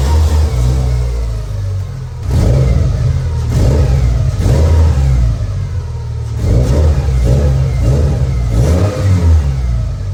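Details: Subaru Legacy after replacing the blown exhaust gasket to fix a long-standing exhaust leak: engine starts and revs in several smooth rising sweeps, steady low exhaust note, no puffing or ticking; healthy.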